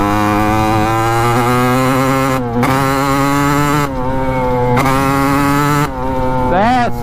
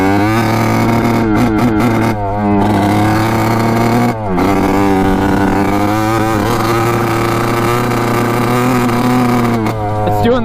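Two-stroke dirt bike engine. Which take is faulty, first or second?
second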